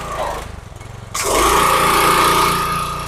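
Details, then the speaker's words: Craftsman 3000 psi pressure washer, Briggs & Stratton 190cc 8.75 hp, after a main jet clogged by bad gas was cleaned: quiet chuffing, then a jump to a loud steady drone with pump whine as water flows. Holds speed cleanly; normal running under load. "I would say that works pretty good."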